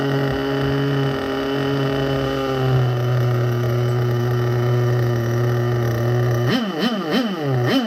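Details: Vintage nitro RC engine running after refuelling and reattaching a leaking fuel line that kept slipping off the tank nipple. It holds a steady high buzz, then snaps up and back in quick clean blips, running and revving well.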